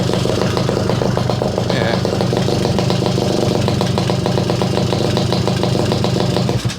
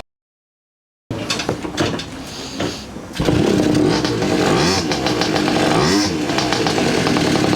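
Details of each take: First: Garelli SSXL moped two-stroke on the stand, rough-set timing, brand new motor: busy, even putter that holds steady and revs freely a lot higher with no stumble or clatter; clutch not dragging, rear wheel still at idle. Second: Garelli SSXL moped two-stroke, timing rough-set with limited advance, poor carburetor: sputters, catches and surges unevenly as the throttle is pumped, never settling into a steady idle; rough idle, cause not confirmed.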